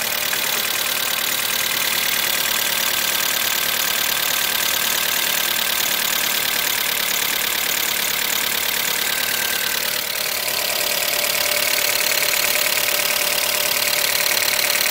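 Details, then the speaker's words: Mitsubishi Galant VR4 first start after long storage and dead battery, cold: loud idle with fast light ticking on top at a steady rate; owner suspects lifters not yet filled with oil. "It's fucking loud as shit though. And I don't like that ticking sound. Hopefully it goes away"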